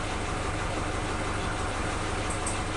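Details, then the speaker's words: Suzuki Katana engine idling after the faulty old spark plug wires were replaced with a cheap new set: steady, even firing with no more popping, combustion even; normal idle. "Ini lihat suara mesinnya itu stabil sekali, tidak ada tembakan-tembakan lagi."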